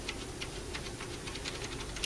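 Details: Dell Optiplex 390 desktop from a scrap pile with flashing amber light: faint, quick, fairly even ticking from the power supply, and it never powers on; a short circuit tripping the power supply's protection is suspected.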